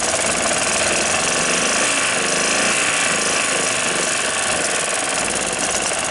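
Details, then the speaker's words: 1993 Club Car golf cart engine after spark plug and carburetor cleaning, following over six months of sitting: steady, busy buzzing run with no misses or surging; running normally again. "so i managed to get it started now that makes it a little more that's it runs for"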